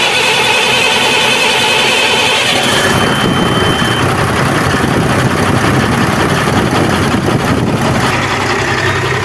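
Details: Cummins truck diesel after repair of a tick-tick engine noise: cranks, catches and settles into a busy but even idle with no knocking; normal running after the fix.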